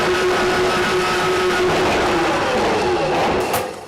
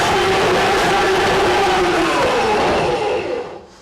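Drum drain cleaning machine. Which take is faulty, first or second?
second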